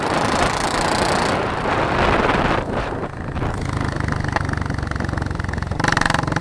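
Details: Running engine with a loose, irregular rattle, louder at first, then settling to a rougher chatter; source not identified.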